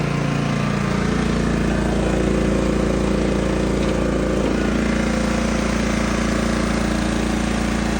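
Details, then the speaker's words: John Deere GT225 lawn tractor after fixing its no-run problem and cleanup, idling: a loud, even beat around 3.5 pulses per second with no misses or knocks. Runs and drives nicely and fires easily. "But yeah, this thing runs and drives really nice. Fired up every time now so easily."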